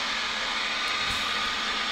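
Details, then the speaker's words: Loud, steady static hiss from a 1940s forestry radio receiver/transmitter (tube receiver) with antenna attached, volume turned way down, searching for a signal; normal receiver hiss after slow reforming. "well it's good i did turn that down it's uh wow it's pretty loud even at that"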